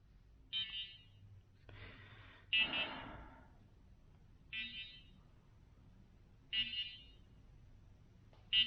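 Short high-pitched chirps every two seconds or so, uneven spacing, quiet room; drone is flagging an error, cause unknown.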